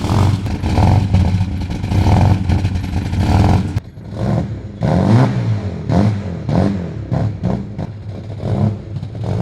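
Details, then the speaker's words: 1995 Ford EF XR6 with aftermarket performance chip, cold: engine stumbles and surges unevenly, lumpy and rough, raw fuel and smoke billowing from exhaust; running far too rich from the chip. "so the answer is my question that is running pretty rich right now it's just billowing smoke out of the back"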